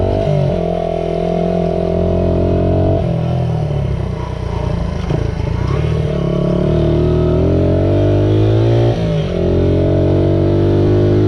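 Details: Restored 1978 Honda XR75, last run around 1989, ridden after a misset adjustment was corrected per the manual: the small single buzzes smoothly, rising and falling cleanly through the gears with no stumble or misfire; normal running.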